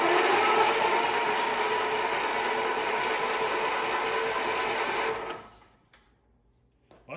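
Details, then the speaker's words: Wheel Horse 520H engine, cylinders soaked overnight in WD40, cranked on the key to blow it out; fast, even whirring spin for five seconds then stops; now turns over freely, normal cranking. "I got it working pretty good yesterday but it was still stopping about 3/4 of the way through but I think oh yeah we got it now let's try it with a key and see if we can't blow all that stuff out of the cylinders"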